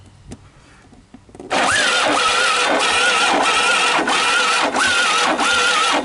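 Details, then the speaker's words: Honda ATC125 ATV, worn-out engine, restarted after oil was squirted into the cylinder and intake; runs rough with a harsh grinding rasp pulsing about every 0.6 seconds, source unclear, possibly worn internals; grinding noise while running. "i'm not sure what to think of that grinding sound i don't know you guys kind of heard it right"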